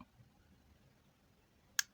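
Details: Refrigerator defrost timer turned by hand counterclockwise: near silence broken by two sharp, dry clicks as it switches position normally.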